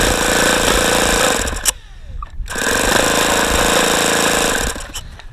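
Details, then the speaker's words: ASP FS65 four-stroke glow engine, 29°F day, case temperature 42°, APC 12x6 prop, OS F plug, 5% nitro, lighter fluid primed: two long bursts of fast, even starter cranking with no catch; cold engine wanted to fire but won't start. "okay so we're almost there it looks like I'm really going to have to just use lighter fluid to start this thing cuz it wanted to fire"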